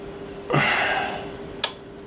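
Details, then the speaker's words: Magnavox 3FM02100 (chassis 6502-00) AM/FM tube radio at first power-up at full power through an isolation transformer; steady mid-pitched howl with a louder burst and click, serious audio oscillation; owner first suspected a bad solder joint, traced to a dirty volume control. "That's some serious oscillation going on there. I thought, well, maybe I got a bad solder joint here."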